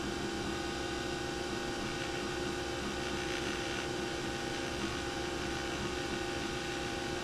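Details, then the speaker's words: Nespresso Vertuoline after replacing the noisy spindle bearing: a smooth, steady mid-pitched whir with no grinding or rumble while brewing; the new bearing sounds healthy. "well that sounds much better and i think there's more chroma too i guess a new bearing will do that for you"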